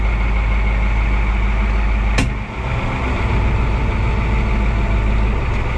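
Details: Oliver 2255 front-wheel-assist tractor idling on a test run after changing engine, transfer case, front axle, rear end and hydraulic oils: a deep, steady diesel rumble with an even beat, one brief click and no knocks. Normal idle; owner says he'll check for leaks.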